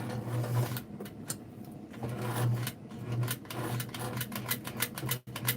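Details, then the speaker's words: White zigzag sewing machine Model 782, needle removed, running on pedal after long storage: uneven bursts with a light scrape over the motor hum; something rubbing inside, may need tune-up. "But see, I'm pressing on it and I'm hearing something. Sounds like something some There's some scraping going on."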